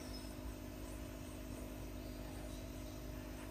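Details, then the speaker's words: Wall-mounted Mr Cool DIY 12,000 BTU 110 V mini-split outdoor unit, heard up close from a ladder: soft, steady low hum with faint fan hiss, no rattles or surging, inaudible inside the house; normal quiet running. "I've read some complaints about wall mounting that the sound travels through into the house. I can't hear a thing from the inside of the house, and I can, you know, you can barely hear it out here."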